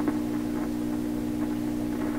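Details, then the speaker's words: 1928 RCA Victor Model 28V radio with RF tubes pulled; constant low even 60 Hz buzz unchanged, source past the RF stage: mains hum. "Let's pull it out. The hum remains."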